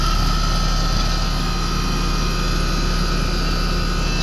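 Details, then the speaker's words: American Standard condensing unit that had been tripping its breaker: a steady low drone with a faint constant high tone and no hard-start struggle, compressor amps holding under 11 A. A possible leak is suspected. Normal operation. "but the amps are holding out good so that's good"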